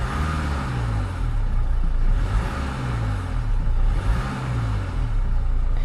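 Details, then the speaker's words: Manual, two-wheel-drive auction car with a later 2-litre Ingenium diesel revved up and down; light metallic rattle as revs rise and fall, especially coming on and off revs, a timing chain rattle, so it needs a chain. "What we don't want to hear is a chain rattle. Like that. So yeah, now as you can hear, rev this one up. You can quite pick this up. There's like a little bit of a metallic rattle when it, particularly when it's coming on and off revs."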